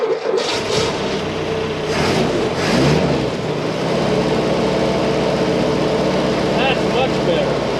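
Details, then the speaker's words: Jeep M151 petrol engine started on about three-quarters choke after carburetor work, settling into a slightly uneven, hunting idle that still isn't quite right. "and she still don't want to idle quite right"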